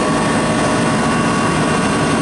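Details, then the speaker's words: Walk-in pizza dough cooler refrigeration unit after condenser fan repair, gauge hoses being bled back into system: loud, even roar with steady fan drone, compressor gives a small clank as pressure jumps; running normally. "And you can see my pressure's jumped. You can hear the compressor make a little clank there."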